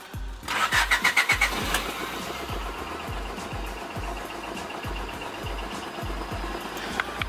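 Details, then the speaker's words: Engine cranks, catches, then idles unevenly and lumpy with a ticking exhaust puff, like misfiring on three cylinders; has an exhaust leak, owner suspects a bad crankshaft position sensor, not confirmed. "rough and it has an exhaust leak so yeah give it a little gas who can hear it's like misfiring and it sounds like it sounds like it's running on three cylinders"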